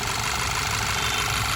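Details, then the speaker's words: Skoda Superb petrol, which has a cylinder 3 misfire (P0303) from a burnt plug and damaged piston, idles smooth and even once the AC is switched off; the shaking is worse with AC on. "अब देखते हैं ये देख सकते हो आप बिल्कुल smooth हो गया इंजन बिल्कुल"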